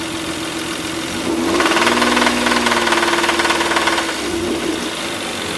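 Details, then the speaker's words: 1993 Toyota MR2 with a used 3.0 L aluminum-block 1MZ-FE V6 swapped in, under 100 miles since install: it idles smoothly, then a rhythmic rod knock comes in as revs rise and fades back at idle. The junkyard engine was only tested at idle. "sounds fine and idle but it definitely gets rodnock once you move up in the rpms"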